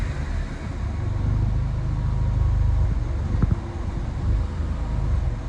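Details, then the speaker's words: Peugeot 309 turbo engine, hot, held at raised steady revs then sagging and turning lumpy when the throttle is released, about to stall; it runs better cold than hot, and the owner suspects settings still need adjusting. "Elle va caler. Je pense que le fait qu'elle soit le fait qu'elle soit chaude aussi joue."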